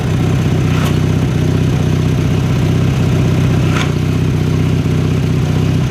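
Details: 1983 Craftsman GTV/16 Varidrive garden tractor, 16 hp Briggs & Stratton opposed twin, after replacing noisy idler pulleys and drive belts: steady even drone, smooth drive with no belt squeal or slap; running normally.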